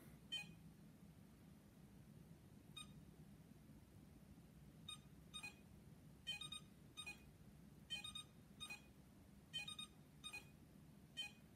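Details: iLife V5 robot vacuum, a couple of days old, on its charger: short high chirps every one to two seconds over quiet room hum; it charges but beeps and flashes lights, cause unknown.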